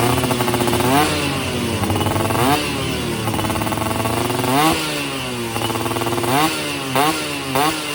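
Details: Yamaha F1ZR two-stroke after a major service and porting for daily use; carburettor setting, lean before, now right; standard 14/38 gearing. Crisp blips rise and fall cleanly without stumble or hang. Normal running.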